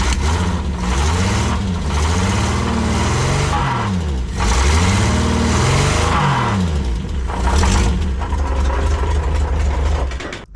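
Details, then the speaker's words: 1968 Commer PB fitted with a 2-litre Triumph straight-six and automatic gearbox: revving up and down gives a harsh metallic rattle or knock under the note; loose flexplate bolts are suspected, unconfirmed. "This straight six engine's got a bit of a rattle going on."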